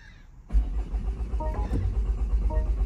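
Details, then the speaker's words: Crash-damaged salvage car (2019 Audi Q2 or 2022 BMW X1) showing 14,331 miles, crank no start: the starter cranks with steady low chugging pulses but never catches, because crash safety mode has cut the fuel pump. "it's cranking but it's not going to start is it because it's got no fuel pump"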